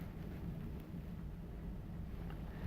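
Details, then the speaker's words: Air-brake truck during a CDL air brake leak down test with the brakes held for one minute: only a low steady rumble and no hiss of escaping air, gauge barely moving, so the air system holds with no leaks. "So far, everything looks good. There are no leaks that I can hear, and my gauge has not really moved."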